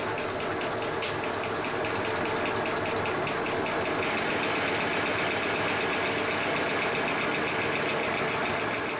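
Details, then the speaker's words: Sweet Pea live-steam locomotive built 1987, running on compressed air after the handbrake was released: steady hissing chuff with a light, regular click from a loose part, which stopped when a screwdriver was held against it. "slight click you can hear stopped once I put my screwdriver against this part."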